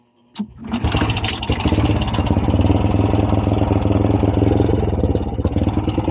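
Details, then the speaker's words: Honda Wave 100 motorcycle, struggling at full throttle: rough pulsing chug that barely climbs in revs, bogging; engine fails to rev, cause unconfirmed, CDI to be checked first. "Yun no, kahit anong full throttle natin guys no, hirap talaga makabuelo ang pwersa ng kanyang makina. So ibig sabihin guys, may problema ang kanyang motor."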